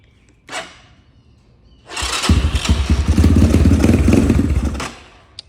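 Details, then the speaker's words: Apollo DB-36 250cc (223cc) Chinese dirt bike with the EGR valve removed and blocked off: it starts with some gas, runs roughly for about three seconds, then stalls. Owner blames poor idle on the carb. "Yeah, she's not gonna want to run right now."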